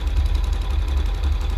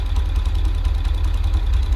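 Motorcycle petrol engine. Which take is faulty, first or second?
first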